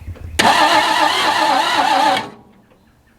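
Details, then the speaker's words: 1961 Ford Falcon abandoned 15 years, cranking after cleaning corroded points: starter turns engine over steadily about two seconds with no firing, then stops; no spark at points, coil suspected bad. "whole bunch of nothing that's what i left the key on let's see what we've got going on at the points here nothing nothing nothing"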